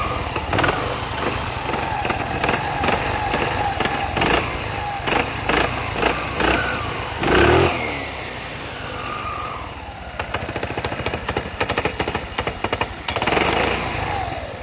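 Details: Scooter engine running and revving: irregular clicks and rattles over exhaust note; owner suspects starter clutch not retracting, unconfirmed; abnormal engine noise.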